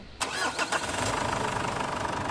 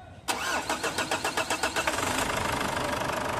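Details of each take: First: Ford Everest diesel after fuel filter replacement and re-priming the filter pump to purge air: short crank catches at once, one-click start, settling into a steady even idle. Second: Ford Everest diesel just after an oil change and fuel filter replacement: about a dozen slow cranks over two seconds before it catches and idles, a long crank; fix is pumping the filter primer until firm.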